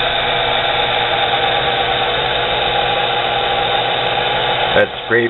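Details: Nano lathe motor of under 1/4 hp, high rpm but lacking torque for the headstock, through a 2:1 (22/44 mm) pulley: steady high whine that drops out near the end and stutters back, the motor cutting in and out under load.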